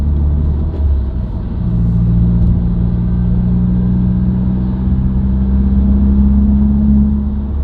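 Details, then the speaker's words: Subaru WRX, recorded inside the cabin while driving: low droning hum under cabin rumble, creeping up in pitch with road speed, unaffected by revs, gear or clutch. Dealer-diagnosed broken centre-diff viscous coupler. "It'll speed up and get higher pitch as I go faster."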